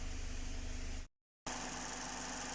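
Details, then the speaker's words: Mazda 6 2019 GDI engine at idle after fuel injectors were replaced for a P0300 random misfire; new spark plugs had not cured it. Low, even idle hum with steady beat, no stumbles; only cylinder 1 had logged misfires, now running smoothly. "ما شاء الله تبارك الله، ولا مسجل لي أي مسفاير غير في هذا رقم 1."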